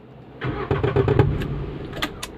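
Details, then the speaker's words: Renault Kwid at engine start: sharp clatters and bangs over the start-up roar every time it is started; abnormal starting noise, cause not confirmed, car taken onto a lift for checking. "वो काफी आवाज ए रही है की किस चीज का आवाज है और वो देखते हैं हर बार गाड़ी स्टार्ट करेंगे तो ए जाएगा देख सकते हो"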